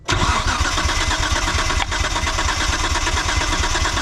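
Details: 1998 Mitsubishi 3000GT VR4, long-sitting, intake plenum removed, compression test on cylinder 6: steady starter cranking with an even, regular chug, no start attempt; plugs look consistent and new. Normal cranking.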